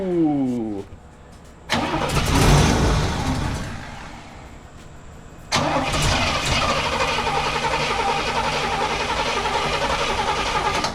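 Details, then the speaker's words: 1968 Cadillac Coupe de Ville, sitting over five years, first start attempt with a 12 V 40 A charger connected: the starter churns the V8 steadily but it never fires. Crank, no start, because there is no fuel in the tank. "needs to get that fuel up there oh that makes sense no fuel in the tank"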